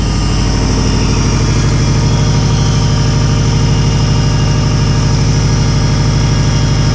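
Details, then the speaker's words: Subaru WRX with hybrid EJ 2.0/2.5 engine, first start, cold: deep, even idle pulse with steady rhythm and no ticking or knocking, at 12–13 AFR with likely cold-start enrichment. Normal cold idle, no strange noises or leaks. "first first try bro right at 12 13 AFR which is perfect for the injectors it's probably got some cold start enrichment bro"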